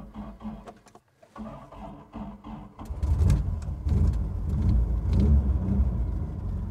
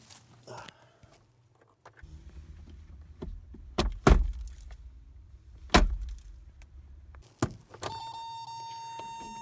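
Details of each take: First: 1987 Toyota Pickup 22R four-cylinder, first start after sitting years in the woods, idling about five minutes on old gas: low, even rumble firming up, no knocks or misses; healthy idle. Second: 1987 Toyota pickup, 22R gas engine, about 242,000 miles with the odometer possibly stopped, sat abandoned for years; low, even churning as it cranks for about five seconds with thumps, never catches. Later starts on fresh fuel poured into the carburetor.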